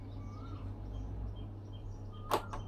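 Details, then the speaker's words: Hatari electric fan that won't spin on speeds 3, 2 or 1 after cleaning; windings tested intact: steady low electrical hum, no blade whoosh, motor stalled; start capacitor suspected, unconfirmed. "เกียร์3เบอร์2เบอร์1ไม่หมุนนะครับไม่หมุนนะครับแต่มีคางฮือๆนี่ครับ"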